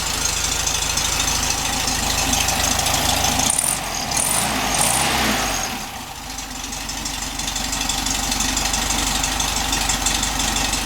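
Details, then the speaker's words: 1967 VW Beetle air-cooled flat-four with rebuilt distributor, original carburetor awaiting rebuild, warming up after about a minute of running; even idle with soft regular patter, brief outside noise, normal idle. "we let that warm up a little bit should be running fine I'm kit it's been running for about a minute it seems to be picking them up and putting them down really nice"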